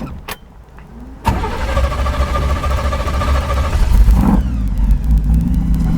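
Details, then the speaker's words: 1933 Ford pickup hot rod, crate 350 Chevrolet V8 with BDS 6-71 blower, twin Holley 600 carbs, Voodoo cam, MSD ignition: brief crank catches at once into a deep, steady rumble building with a little throttle; normal start, supercharger whine noted. "You know, if there's anything like a V8 with a supercharger whine to just make people take notice, I don't know what it is."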